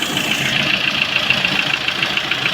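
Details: Lada Priora engine at idle, oil pan removed; sharp quick metallic tap about seven per second, steady with engine; camshafts replaced and lifters repaired without result; knock source unknown, not piston per owner.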